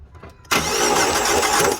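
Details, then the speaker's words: 2009 Chrysler PT Cruiser cranking no-start: starter spins fast and evenly with no compression rhythm while the cam gear doesn't move; failed timing belt, likely stripped teeth rather than snapped. "So you see that? That's not even moving. It should be cranking pretty fast. It should be cranking along with the timing, with the starter and all that. But so we know our issue, our timing belt."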